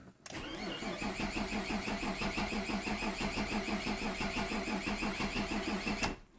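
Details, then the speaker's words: Mazda 626 that won't start after the alternator overcharged, with no spark and no check-engine light while cranking. Steady cranking at about three beats a second for six seconds but it never fires; cranks, no start. "car cranks over but will not start"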